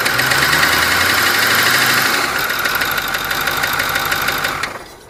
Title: 6.4 Ford knocking noise